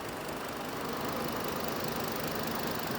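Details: 2008 Hummer H3 with a misfire complaint. The scan tool confirms misfires, and the in-cylinder waveform shows slightly low compression on one cylinder. Uneven, lumpy idle stumbling about four times a second: engine misfire.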